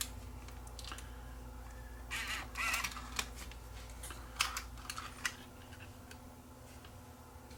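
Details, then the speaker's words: Sony TCD-D7 DAT Walkman after freeing the mechanism: motor whirs and clicks in bursts as the tape loads and unloads repeatedly but never plays. "okay it sounds like it's doing something but it's sounds like it's loading and unloading but it's not"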